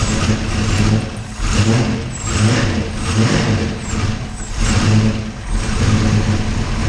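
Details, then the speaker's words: 408 Clevor V8, cold, runs in rough swells about once a second but fires evenly after distributor gear issues were sorted on the third attempt to get it running; sounds much better, healthy normal running. "yeah man that sounds so much better okay so clearly clearly we had some issues of that distributor gear"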